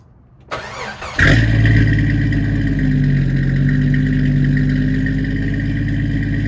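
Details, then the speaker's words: 1989 Jeep Wrangler YJ, 4.2 inline-six, Weber 32/36 carb, new Flowmaster 40 exhaust with no cat: starts and settles into a loud idle with an uneven, stumbling pulse; suspected misfire, owner hopes new plugs, wires and HEI distributor fix it. "so that's what it sounds like with a Miss I think I hear a Miss I'm sure you all know better than I do but that's an issue I'm working on too"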